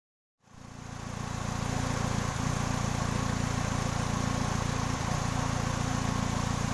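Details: 2000 Kia Sephia at idle: steady thumping beat about three and a half per second with an uneven, stumbling feel; misfire at idle.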